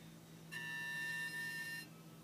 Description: Strange whining noise from passenger side near the engine block when hood was opened. Key was not in ignition.